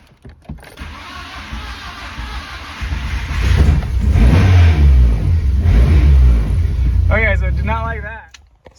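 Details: Turbo Mk2 VW Golf, OBD1 ABA, Subaru VF52 turbo, Digifant 1 ECU, WOT Box two-step launch control: engine climbs and holds high revs with choppy uneven cutting; RPM signal was set wrong.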